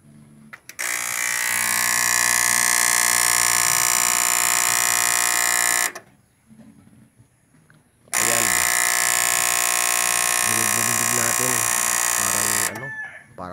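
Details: Konzert 502 amplifier from a seaside hotel: harsh, rapid machine-gun buzz in two long bursts from the chattering protection relay; unit opened to find the fault.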